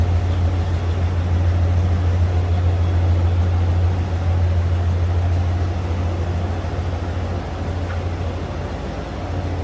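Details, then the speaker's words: 1991 Ford Bronco XLT 4x4 V8 after a cold start, many new exhaust components: deep, even exhaust burble at idle, smooth and steady without misses, ticks or leaks; normal healthy idle. "Sounds good, and a lot of new exhaust components underneath there."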